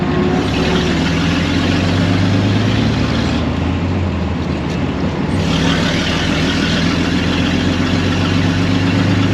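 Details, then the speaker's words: 1926 Maxim fire truck after water neck replacement, ignition work, oil pan removal and fuel system repairs, driven around town; steady low engine drone underway, even beat, no knocks or misfires — normal running while driving. "this thing runs really nice I'm really happy with it I've taken it around town for a couple test drives"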